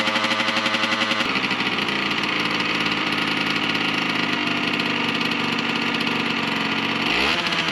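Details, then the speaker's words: 1998 Yamaha RZ50 two-stroke, first start after restoration with the muffler refitted: harsh, raspy crackle at every firing pulse from an exhaust leak, later fixed. "排気漏れがすごいな。はい、それではねちょっと今排気漏れしてたんですけども、それをとりあえず一回直してね、もう一回エンジンかけ直しました。"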